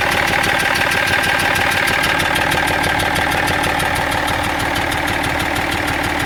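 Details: BMW 330d E46 diesel at even idle: sharp rhythmic ticking near three beats a second on top of the clatter; abnormal engine noise no mechanic has been able to locate.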